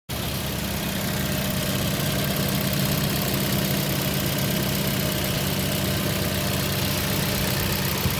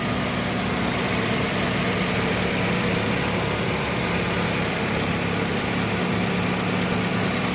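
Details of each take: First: Toyota Yaris with the check engine light on and hard starting: a lumpy, uneven idle with an irregular stumble, like a cylinder dropping out now and then. The misfire's cause is suspected, not confirmed. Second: Toyota Yaris at smooth, even idle with a steady hum and no stumble or misses.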